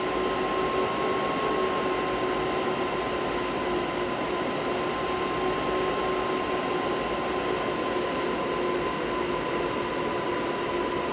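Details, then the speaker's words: Stock fans on an ASIC miner before Noctua upgrade, drawing 1,100 W, about 68 dB: constant loud rushing air with faint steady whine, no rattle or wobble; healthy fans running flat out. "If they were this quiet, I'd have left them alone, but they're actually a lot louder than this once they start ramping up."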